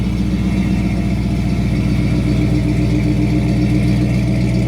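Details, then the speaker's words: 1955 Ford F100 pickup with 302 V8, steady deep idle with a faint, high, constant whine from the gear-drive timing set, said to sound like a supercharger; healthy engine. "Now, if you hear that little bit of whining sound, this thing's got a gear drive on the timing set. So a lot of guys like to hear it. They think it sounds like a supercharger, I guess."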